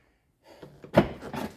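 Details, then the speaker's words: Land Rover Discovery 3 (LR3) upper tailgate after replacing worn latch and the old actuator that only clicked faintly: quiet whir then firm solenoid clunk as the latch releases, stronger than the feeble sound before; new actuator working normally. "No issues. I can hear the solenoid sounds a bit more strong, not as feeble as before."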